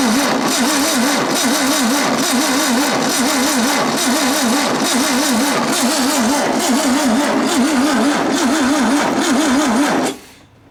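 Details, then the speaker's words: 1967 VW ragtop engine, cranked on a jumper pack checking for spark: steady, even cranking at about three compression beats a second that never fires; crank no-start due to weak spark from faulty condenser. "I said we see if we go get some spark if we get spark we're going to go see if we can dump a little fuel down that"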